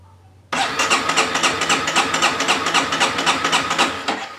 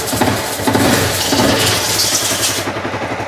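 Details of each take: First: Honda CBR250 brought in pushed, not running, electric starter cranking (no kick starter): slow, fairly even cranking about four strokes a second with a steady compression thump; compression seems present but it won't fire. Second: Honda CBR 250 brought in as a non-starter, after a compression check: engine fires and runs with a fast, even beat and crisp exhaust, no misses or mechanical clatter; normal running.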